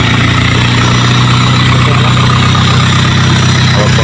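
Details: 2006 Peugeot 206 after a starter motor that was sticking: engine cranks and settles into a steady, even low idle with no misses, knocks or starter drag; runs smoothly.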